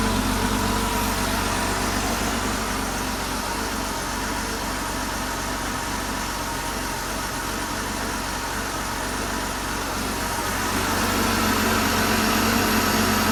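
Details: Porsche flat-six engine after full rebuild (bottom end reassembled after broken valve spring debris, collapsed chain tensioner, cam and rocker wear), test run on an engine stand: steady, even smooth idle, no knocks or misses; healthy.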